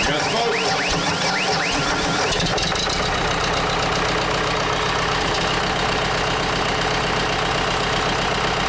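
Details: Case 430 skid steer with 4.5 FPT diesel, after tipping on its side: cranks, then fires into a fast, harsh high idle with a sharp rapid rattle; always hard-starting cold; diesel knock at high idle.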